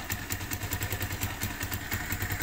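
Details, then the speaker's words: Motorcycle single after float adjustment and carb refit, flooded gas cranked out of the exhaust: even, regular thump about five a second with no misses or surging, a clean idle with no more carburetor overflow. "So ayun mga kabasic, okay na at nakabit natin yung carb at mapansin natin wala na siyang overflow."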